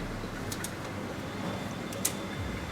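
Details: Mercedes-Benz W204 M271 engine turned by hand on the crankshaft pulley with sharp metallic clicks: worn timing chain tensioner and cam sprocket from a stretched chain that prevented starting, before timing chain replacement.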